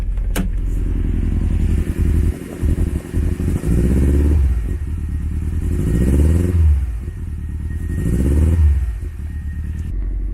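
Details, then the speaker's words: Subaru STI with dual fuel pumps, a high-horsepower tune with misfire detection off and unequal-length headers, before the coils were replaced: lumpy, uneven idle with a stumbling beat that carries into the revs, dropping a cylinder; misfire the owner suspects is from weak coil packs. "So, I know it still sounds like a Subaru. Subarus always sound broken anyway with unequal length headers, but it's totally missing something."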